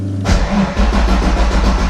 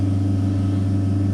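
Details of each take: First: Ford Fox Body cranking with a multimeter connected, lowest reading 7 volts: long, heavy, labouring crank with no clean pickup; low voltage during cranking drops the MSD ignition box and fuel pump controller below their thresholds, shutting them off, so no-start. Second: Fox-body car with MSD ignition, key on before cranking: steady, even low hum of fuel pump with no surging or dropouts; pump powered, normal, though voltage later dropped to 7 V during cranking.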